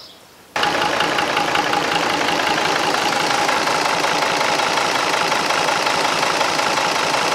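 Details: Restored marinised Gardner 5LW diesel on test with a temporary starter: catches after a short quiet spell and settles into a steady, even clatter with no misses; healthy normal idle.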